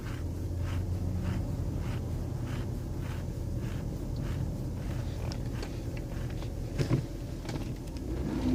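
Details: Lincoln Aviator 4.6 V8 with rough idle and sluggish acceleration: low idle rumble with faint, fairly even light ticking about two or three a second; loud knocking/pinging, owner suspects an exhaust leak or EGR problem.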